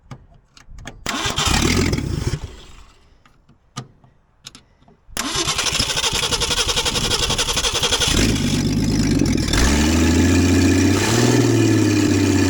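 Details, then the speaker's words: 1966 Ford Mustang, reassembled, jump-started, exhaust manifold not connected to the exhaust: loud, raw, revs surge and sag and won't settle, dies on returning to idle; oil pressure good; owner suspects carburetor needs rebuild or vacuum leaks; rough idle. "The uh uh carburetor probably needs to be rebuilt. It's not returning all the way to idle and then when it does it's dying. So I'll have to look for vacuum leaks."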